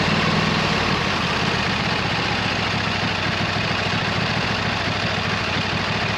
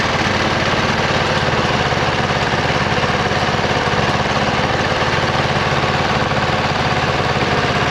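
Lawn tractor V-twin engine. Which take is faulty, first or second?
second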